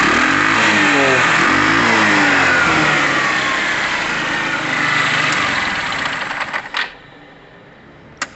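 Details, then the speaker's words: Tamoretti Retro scooter/moped, after air-fuel screw adjustment, earlier struggling slightly with fuel: crisp rev falling smoothly back to a steady, even idle with no misses or hunting before shutoff; seems spot on, running properly. "seems spot on to me"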